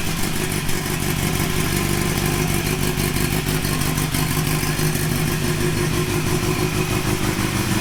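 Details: Honda CB900 Custom four-cylinder at first start after a suspension upgrade and exhaust refit, with a sticky carb float earlier: dense, even burble holding a steady idle with no misses or knocks, running cleanly; normal idle.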